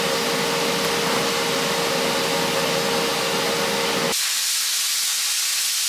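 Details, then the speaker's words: Jegs 40-amp plasma cutter at 60–70 psi air, set to 30 amps, cutting plate. A steady loud hiss with a faint tone while the arc cuts, then plain air hiss. It cuts quickly and normally with a kerf of about 1/16 inch. "yeah that makes pretty quick work that's spark but makes uh makes quick"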